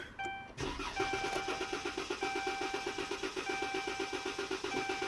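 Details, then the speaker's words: 2014 Dodge Charger 3.6 V6 in for no start: steady starter whirring, about four compression beats a second, never fires or catches; crank-no-start from fuel pump failure, no fuel pressure. "All right, spins over. It's not catching. It's not starting. All right, ladies and gentlemen. So what we have here is a crank, but no start."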